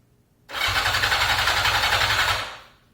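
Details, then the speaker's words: 1982 Yamaha XJ550 Maxim, sat 25 years, carbs rebuilt and cylinders oiled; starter cranks about four pulses a second for two seconds, never fires, no spark at all; ignition module or coils suspected. Cranks but no start. "No spark. It's not weak, there's literally none."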